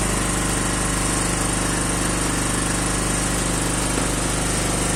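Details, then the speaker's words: 250 cc naturally aspirated quad, cold start, engine fully cold: quick even exhaust pulse at constant, slightly high idle with no knock or stumble; runs well, just a bit high in revs. "Donc il tourne plutôt bien, c'est juste qu'il est un peu haut dans les tours, mais"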